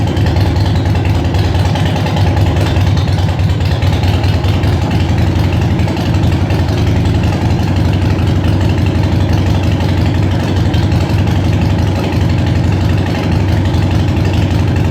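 Deep, steady V-twin thump at idle holding an even beat for the whole run, no knocks or ticks; healthy running engine.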